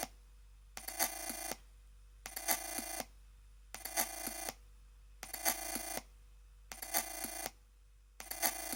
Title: Chromebook Pixel Ubuntu weird noises